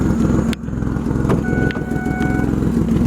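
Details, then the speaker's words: 2005 Ford Five Hundred that sat for years with low mileage, idling roughly with a puffing tick and irregular stumbles. It has an exhaust leak and a misfire, worse at idle than under throttle; owner suspects an injector or coil pack. "You can hear it's got an exhaust leak too. So yeah, exhaust leak and misfire."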